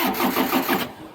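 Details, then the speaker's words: Niftylift HR21D diesel engine after fault 01009B05 (under voltage) cleared with a new fuse: quick even cranking that never catches; glow plugs not heating, so it cranks but won't start. "all right it's cranking this cranking but it does not start"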